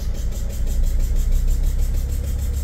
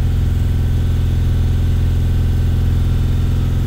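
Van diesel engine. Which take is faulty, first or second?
first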